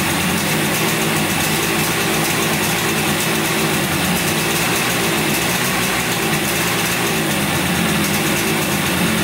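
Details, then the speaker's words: 1971 Yamaha CS200 twin two-stroke, sat over 17 years, recently revived: loud, raspy running with uneven, lumpy beat rather than a smooth twin rhythm; owner suspects one cylinder not sparking; later spark found, left cylinder 125 psi compression. "looks like it's only running on one cylinder here. This one's not sparking or anything. I think it's only running on one cylinder."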